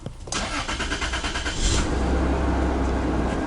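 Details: Toyota 3rd gen 4Runner after fuel filter replacement and fuel pump priming; died on first attempt, then brief cranking, catches cleanly and settles into a smooth, steady idle with no stumble; healthy start.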